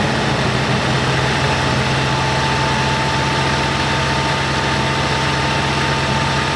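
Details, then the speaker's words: 1987 Oldsmobile Cutlass G-body revived after sitting, after a stuck check valve in the fuel filter was found blocking fuel and the filter was refitted: even, steady, quiet idle with a low hum and no misses, knocks or ticks; normal idle. "There she goes. Runs really quiet."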